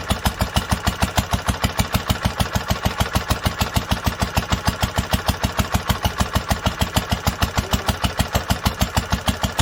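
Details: 1946 International Harvester LBB 3-5 hp water-cooled engine, first cold start after long storage under cover, started after two choked pulls; even strong chuffing about two beats per second, no knocks or misses: normal running.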